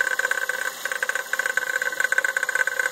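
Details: 2001 (8th generation) Toyota Corolla: uneven rapid knocking, roughly two per second, riding on a thin idle; knocking at idle, apparently from the power steering pump.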